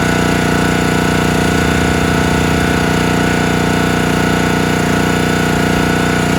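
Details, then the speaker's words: Countyline 25-ton log splitter small single-cylinder engine, carb cleaned, jets cleared, tank cleaned: runs fast and steady but bogs, labours and stalls when the splitting valve loads it; owner suspects fuel starvation or carburetor, cause unconfirmed. "frustrating so underload it just won't stay running you can see it's stalling out got to be carburetor but everything looks great in the carburetor I it just sounds like it's not keeping the fuel flowing and I don't know what that would be"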